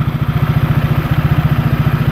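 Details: Honda PCX scooter with Yamaha Aerox pulley fitted, after 6000 km and DIY CVT cleaning: quick even low thumping about twelve beats a second, steady; clean idle, nothing odd in the drive.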